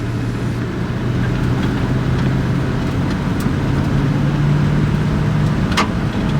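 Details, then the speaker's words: Auction-bought lifted truck, first drive home, automatic transmission: engine pulls steadily under load with smooth, quiet drone changes through second and third gear, no flare or clunk; normal upshifts. "that's two gears all right all right one more there we go baby transmission is solid"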